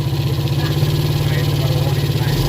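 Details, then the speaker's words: Rebuilt Yamaha Vega ZR engine idling, carburetor refitted and valve cover open to watch oil flow, after full rebuild for recurring smoke: steady even small-single thump, no ticks or knocks, smooth, oil flowing freely; normal. "Ini suara mesinnya sudah halus kita tinggal PG Naika tidak ada ya di sini kita lihat odinya naik sudah lancar"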